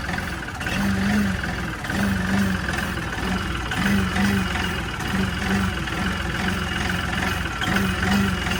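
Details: LS MT3 35 tractor, common-rail diesel at idle with the high-pressure regulator/suction control valve unplugged and the scan tool reading very high rail pressure: low idle that swells and sags every second or two; rough surging idle.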